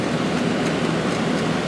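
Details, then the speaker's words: 2003 GE 12,400 BTU Samsung-made air conditioner, cleaned and reassembled, fan only on low during compressor delay, drawing 1.18 A and 141 W: steady air rush with a soft low hum and no knocks; normal low-speed fan. "Let's go to low fan. 1.18, 141 watts."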